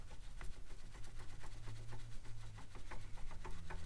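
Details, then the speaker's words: BMW E90 xDrive with faint grinding on deceleration: dry clicks and notchy ticking as the rear U-joint of the front driveshaft is worked by hand; the joint is tight and notchy. "It is the rear U-joint on the front shaft. It's like super freaking tight and notchy. You hear it?"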